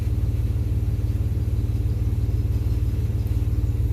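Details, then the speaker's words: 1995 Chevy Blazer 4.3L with central port injection, after a new spider assembly and lines: steady, even rumble at idle with no knock. Idle is slightly high at about 700-something rpm against a desired 650, with the air-fuel ratio at 14.7. "island a little fast it says desired idle 650 we're at seven something"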